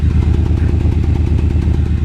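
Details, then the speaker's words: 1991 Ford Explorer, 4.0L V6, reportedly 400,000+ miles (odometer 69,548), loud deep blatting exhaust at rough pulsing idle; a hole in the muffler is leaking; owner suspects a rear cylinder missing. "Pretty loud. We got a hole in the muffler here. See?"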